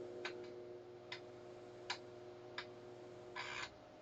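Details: Commodore 1571 disk drive after a burnt mains filter unit was replaced, connected to a C64 during speed and alignment tests: steady motor hum with sharp head clicks and a short buzzy seek burst; drive spins and steps normally.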